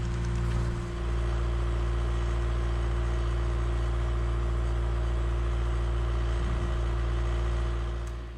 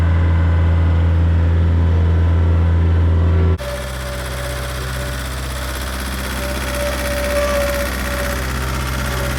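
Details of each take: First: A skid loader idles back from the shop, now running smoothly on all four cylinders instead of three, with a steady low rumble and no misses; normal idle. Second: Skid loader diesel engine, before and after shop repair: heavy lumpy low drone running on three cylinders, then smoother run on all four once fixed; misfire from one dead cylinder.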